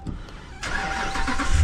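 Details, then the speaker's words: 2019 Ram 1500 that was completely dead with no ignition, after reseating the faulty RF hub module: quiet, then a sudden crank and catch settling into a low steady idle; clean normal start, though module still needs replacing. "And the truck starts. Alright, well, technically there's no parts required, but really there's parts required."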